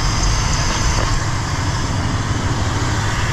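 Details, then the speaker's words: 2001 Chevrolet Silverado 1500HD, 6.0 LQ4 V8, idling right after installing BBK shorty ceramic-coated headers with MagnaFlow muffler and factory catalytic converters; deep, steady, even rumble, no misfires, ticks or exhaust leaks, healthy. "Alright folks, moment of truth, start her up. Nice and quiet, sounds good. No lights on yet. Doesn't sound like there's any leaks."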